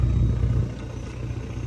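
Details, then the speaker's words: Ford Taurus Police Interceptor, 146,000 miles, at idle: deep loud burbling rumble with nothing muffling it; loud exhaust because one muffler is missing, possibly an emergency fix. "the muffler is missing there's only one Muffler I wonder if they lost the muffler and then they just did an emergency fix I'm not sure but I really do not like the way this car sounds"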